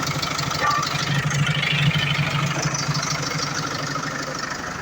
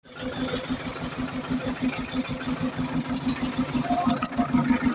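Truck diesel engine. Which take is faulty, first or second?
second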